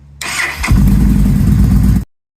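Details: ATV/motorcycle cranking on a new battery, after the old one read 12.46 V but dropped to 6.3 V under load and wouldn't crank: a quick starter whirr for about half a second, then the engine catches cleanly and runs evenly. A normal crank and start.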